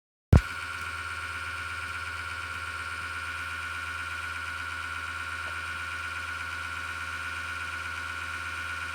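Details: Desktop PC power-supply fan with a bad bearing: a constant rough grinding whirr and steady high whine over a low hum, with the case vibrating. It started after a slowdown and clicking or rattling, returning years after it first appeared. PSU make uncertain, possibly EVGA.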